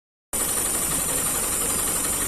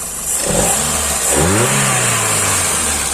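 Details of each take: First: Hyundai i10 with CNG fitting, low performance: engine idling roughly with an uneven, stumbling beat from a misfiring cylinder; spark plug and plug wire to be checked first. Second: Hyundai i10 CNG car after replacing spark plug and broken plug wire for misfire and poor pickup: engine revs up twice cleanly, pitch rising smoothly without stumbling; problem solved.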